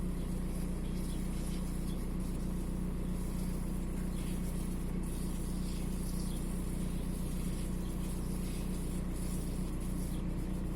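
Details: VW 1.9 TDI AXR diesel shaking at idle, slightly uneven low thrum that stumbles now and then; fault code 16688/P0304 intermittent cylinder 4 misfire, cylinder 4 deviation 2.99 mg.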